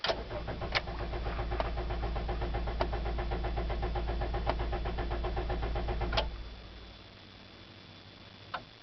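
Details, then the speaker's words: 2009 Toyota Corolla S, cold start at -11°, 13th attempt, clutch in, neutral: steady cranking at about four pulses a second with a humming noise for six seconds, never catches; recurring winter no-start, unresolved by dealer. "it is Thursday December 17th 2009 it is um - 11 outside and this is the 13th time I crank over the car clutches in car is in neutral turn the key I hear a humming noise"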